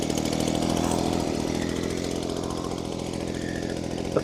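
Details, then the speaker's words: Old Echo two-stroke with primer bulb, first start with no parts changed or tuning done: a steady, high buzzing note holding even speed without stumbling or surging; it runs well straight away. "Okay, it wants to run."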